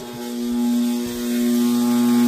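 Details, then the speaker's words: 4" submersible 3/4 hp 8 gpm well pump in a test tank, circulating water at 11.7 gpm and building 180 psi. It functions fine, but a loud, steady buzzing low drone never eases, and it starts to vibrate and rattle; terrifyingly loud, cause unknown. "and as you can tell it's extremely noisy now just so anybody's wondering it is circulating water right now but you can tell just how loud it is I mean this is absolutely terrifyingly loud"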